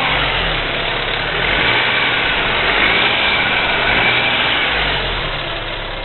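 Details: BMW E46 318i running engine: rapid ticking that rises and falls with revs; owner suspects hydraulic lifters, and the DISA valve is also defective.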